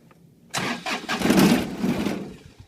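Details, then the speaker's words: John Deere 2305 tractor, hitched with a load, cranked in neutral with operator seated: diesel catches, runs about a second and a half, then cuts out; message boards suggest failed V4 diode, not confirmed. "it starts for a second and then cuts out. So doing some research on the message boards, what I found is that it's a failure in one of the diodes, specifically the V4 diode that triggers that."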